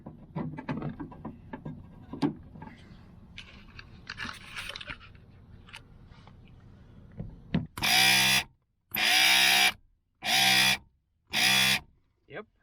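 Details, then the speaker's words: BMW E30 passenger window motor, never worked before, after disassembly and regreasing the worm gears: four smooth even motor runs with short pauses, window travelling both ways without binding; motor working normally. "looks good to me everything is functioning so now we can put everything back together"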